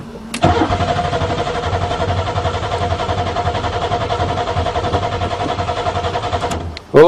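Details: Buick Regal, first start in spring after sitting all winter, new battery, fuel pump now running: steady rhythmic starter cranking for about six seconds with no firing; later found no spark from corrosion under the computer plate beneath the spark coils.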